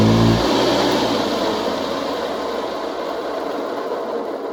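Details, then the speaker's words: 1961–64 Hoover Convertible Deluxe vacuum before servicing: the motor spins up and works, but with a harsh, dry hiss and rough edge instead of a smooth whir, from loud, dry motor bearings. "So, works fine, but it's sounds very dry. So, that's what we're going to work on. So, it sounds pretty good, but the bearings are loud."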